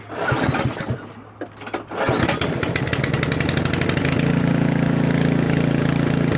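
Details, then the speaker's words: Craftsman 900/22 single-stage snowblower small single-cylinder engine with carburetor leaking fuel, started with choke and primer: pull-start coughs, then catches with an uneven, hunting beat about three firings a second; rough running and surging, cause suspected. "he said that it does run but it runs a little bit rough and he did show it to me running and it ran pretty good initially and then it started to kind of um surge a little bit run a little bit rough"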